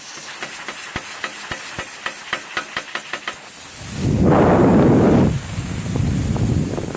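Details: CUT50 plasma cutter using welder's earth lead: rapid sharp ticking of pilot arc, then harsh roaring hiss that cuts out; unstable arc melting metal and consumables rather than cutting cleanly, cuts messy, cause unconfirmed.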